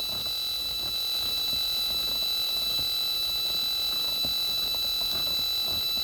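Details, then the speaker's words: Homebrew radio receiver, antenna disconnected, only speaker wire attached: faint irregular clicks about four per second under steady whistles in the hiss, encoder noise getting into the audio across the tuning range; clicking interference in receiver audio. "so as we tuned down here we can hear some signals but still hear that encoder noise and we go up higher it's just fully"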